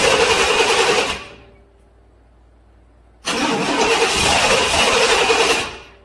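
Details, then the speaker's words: 1997 GM/Chevy Silverado truck, 5.7 350 Vortec V8, no start when cold: cranks evenly and fast but never catches with the return line pinched off; pump can't build enough fuel pressure, failed fuel pump. "got the return line pinched off completely and the pump can't produce enough pressure to supply the the engine to run"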